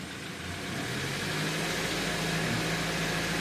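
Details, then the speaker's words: 2014 BMW X4 on a lift that won't move, traction control off: the engine revs to a strained drone while the wheels are held and it doesn't accelerate; brake pressure being checked, cause not confirmed. "You hear the tone. There we go. See, we've got RPM and it's holding the wheels. We're not accelerating."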